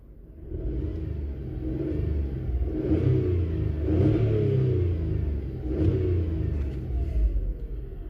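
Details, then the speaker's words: 2008 Skoda Fabia 1.2 3-cylinder petrol revving in uneven swells, its rumble stumbling from a misfire; misfire counters show cylinder 2 counting up and climbing fast when revved. Coil packs and spark plugs are under investigation. "if I rev it up now it climbs really fast when I rev it up I'm revving up now and as you can see it's climbing fast"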